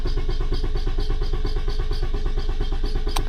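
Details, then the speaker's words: 2011 Toyota Camry with P0335 crank position sensor code: starter cranks evenly at about six beats a second with no firing or catch; crank-no-start traced to damaged, butt-connected crank sensor wiring. "Okay. Now I have a new problem. This will not start."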